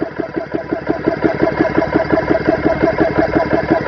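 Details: GX CS3 4500 PSI compressor on its first test, fans on, bleed valve closed, set to stop at 3,000 psi, pressure climbing past 2,000 psi: an even, steady chug of about three beats a second with no knocks or rattles, running normally.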